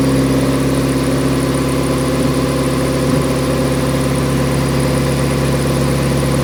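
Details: Nissan 180SX Type X, SR engine with TD06 20G turbo and muffler delete, dyno run at 15 psi with injectors maxed near 255 rwkw: loud, steady, even drone with constant whir and no misses or knocks. Strong, healthy running under load.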